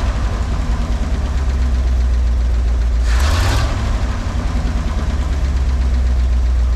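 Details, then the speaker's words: Cheap used dump truck idling after the bad fuel pump was replaced and wired into the old harness: steady, even low rumble with one quick throttle blip that rises and settles cleanly; runs good. "and run good it does that's exciting"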